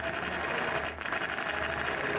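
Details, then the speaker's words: Longarm quilting machine stitching feathers: fast, even stitching with a hard, sharp punch on each stroke, not a clean sound; the dull needle is forcing through the fabric and needs replacing. "The needle sounds like it needs to be changed. So it kind of sounds like it's poking through really hard. It's not a clean sound."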